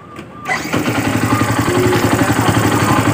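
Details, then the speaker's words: Yamaha Byson motorcycle after battery weakness found and regulator, battery and starter drive judged fine: short quick starter whir, then the single-cylinder engine catches and settles into a steady, even idle; starting now normal. "Ya. Sudah normal."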